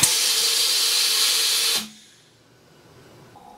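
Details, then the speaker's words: Coats 5030A tire machine after rebuilding the rim clamp air cylinder, air just connected: steady sharp hiss for about two seconds, then cuts off; air leak at a coupler fitting. "so that noise you heard leaking was one of these fittings which is on the coupler"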